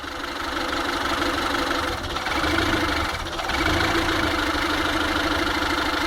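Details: Kia Pride 2000 with 6400 mil, warm but not fully hot, with an erratic idle that sags twice before recovering. It sometimes coughs around 2000 rpm when slowly revved but not when cold or really warm, and the cause is unknown.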